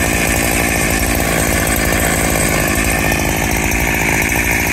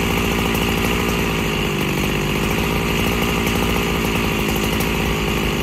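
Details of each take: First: Freshly rebuilt Husqvarna 365SP chainsaw with original cylinder and piston, still needing a carb kit, cutting dry oak. It was too rich on the low end and lumping along; after tuning, a loud even two-stroke idle with no lumping or surging. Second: Freshly rebuilt Husqvarna 365SP chainsaw, still awaiting a carb kit, cutting dry oak about 14 inches wide: loud rough note burbles and bogs instead of staying crisp; engine loading up, low-speed mixture too rich.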